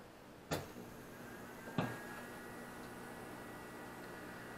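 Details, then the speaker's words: APC Back-UPS Pro 1500 carrying over 700 W after mains power is pulled: two sharp relay clicks, then a steady, loud electrical hum with faint fan rush as it switches to battery; normal operation. "you can hear they're very loud uh there's a humming that you can hear"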